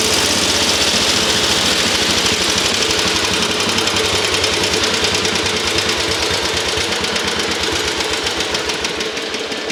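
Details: Antique garden tractor with large flywheel, bought non-running, now started in neutral: even, steady single-cylinder thumping with no miss or knock, then slow, smooth wind-down; engine running healthy.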